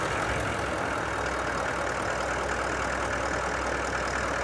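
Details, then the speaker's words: Toyota Landcruiser diesel at its 125,000 km service, started after the fuel system was reconnected and bled of foamy diesel: smooth, even idle with no knock or rattle. Healthy idle. "And there we go. Start it up, it's not knocking, carrying on, rattling."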